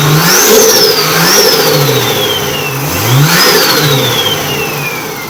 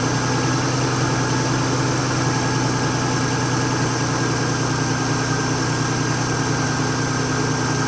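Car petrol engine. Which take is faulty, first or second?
second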